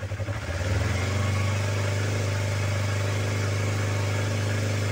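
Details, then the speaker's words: Used Yamaha YZF-R25 250cc motorcycle, still stock engine, idling: steady, smooth idle with no tek-tek valve ticking from the top end, indicating a clean, unmodified engine. "nah strukturnya enggak ada bunyi tek tek tek Itu bersih motornya masih standar"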